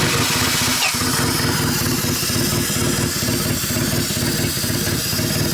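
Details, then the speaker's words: Built D16 turbo Honda Civic at first start after the motor install, once the spark plug wires were put in the right order: it idles a little rough with a steady airy hiss; an air leak near the throttle body is suspected, possibly the MAP sensor; not confirmed. "so it runs but it has it had to leak from somewhere why what I heard um air seeping from somewhere"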